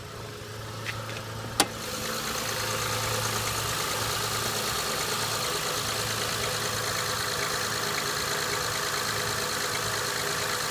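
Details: 2005 Honda Accord EX V6 at 131K miles, just after a cold start: the idle carries an uneven light knocking, roughly three a second, under the engine hum; owner suspects piston slap, not confirmed.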